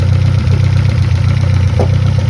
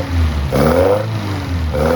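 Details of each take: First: 1971 Toyota Celica RA20, 18RG on twin Weber 40 DCOE sidedraft carbs at idle: steady but lumpy uneven beat; sync gauge on the trumpets shows one carb's throats reading much lower, so carbs out of sync, adjusted via balance screw. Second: 1971 Toyota Celica RA20, 18RG four-cylinder on twin Weber 40 DCOE sidedraft carbs, electronic ignition, fresh ignition parts: two crisp throttle blips with a steady even idle between; runs sweet and healthy.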